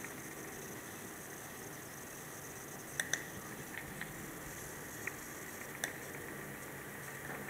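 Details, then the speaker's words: Dell Precision M3800 laptop with SSD, plugged in, during a File Explorer search: faint hiss with scattered sharp crackles whenever the drive is accessed. It stops when unplugged and changes with screen brightness; electrical static, source unclear. "Here, files being accessed. The hard drive is making a noise. And now it isn't. Or it's not a hard drive, whatever it is."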